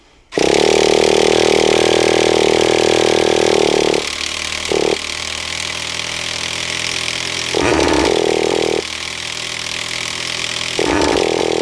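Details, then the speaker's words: Traxxas T-Maxx 2.5 nitro RC truck, run after a long time unused, after a setting found too far open was readjusted: the roto-start motor whirs in long bursts while the engine only briefly catches. Hard starting, with a suspected fuel blockage. "I think we got a little bit of a block in that car better but we'll be all right we'll blast it out with a little bit of persistence"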